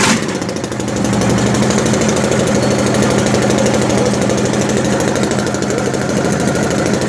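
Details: Ford Cargo diesel starting after an engine rebuild: steady, even idle clatter firing about three times a second with no knocks or misses; healthy running.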